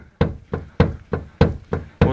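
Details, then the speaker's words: Renault Logan, control arm rocked by hand: sharp dull knocks, about seven in two seconds. Sway bar links and CV joints were checked and fine; the knock is a worn ball joint, to be replaced. "решили потрясти за рычаги вот сейчас я покажу потрясли за рычаги и слышим и видим конкретный стук шаровой"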